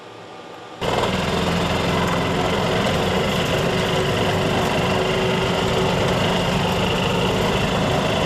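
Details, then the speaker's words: Yamaha G2 golf cart, cold start in neutral after carburetor, air filter and spark plug tune-up, first cold start in 6–7 years; catches within a second, settles into steady even single-cylinder putter, no misses. "Okay, that's now the first time that's happened in about 6 to 7 years, starting up in the cold. So at least our tune-up did help,"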